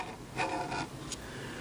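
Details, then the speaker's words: Philco model 37-2670 radio, new dial being installed. Faint dry rasping in short strokes as the dial turns, from the flimsy, not-flat dial scale rubbing against a metal bracket; later silenced with felt glued behind the bracket. "this this this dial scale is not it's just not totally flat and I don't know what to do about that it seems to me to be awfully flimsy but that's the way they were I guess"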